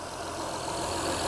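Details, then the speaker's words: 2005 Honda Odyssey, sat for months with low, old oil, suspected blown engine: even, steady idle with no knocking or rattling; doesn't sound blown. "this doesn't sound or run like an engine that is blown up i just i'm not seeing it so we might get lucky on this one and i might have not have to replace the engine based on what i'm hearing"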